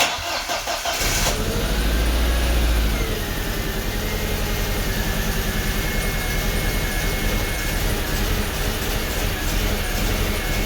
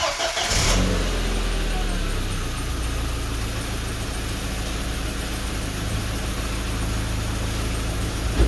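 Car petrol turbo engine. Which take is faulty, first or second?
first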